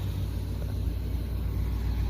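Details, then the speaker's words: 1971 Ford F100 V8, running after revival, fed from a gas can and staying cool: deep, even rumble with steady low pulses, no knocks or rattles. Normal running without major problems. "But yeah, now we pretty much got everything running"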